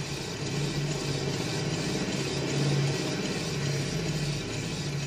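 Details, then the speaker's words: 1999 Mazda Miata front-left wheel spun by hand gives a steady low droning hum, like an airplane propeller, rising with speed; it matches a noise heard on the freeway. Owner suspects the wheel bearing, or possibly the brake rotor, and it seems to come more from the top. "so you hear that sort of what you call it like an airplane propeller sound it's like and it increases as the speed"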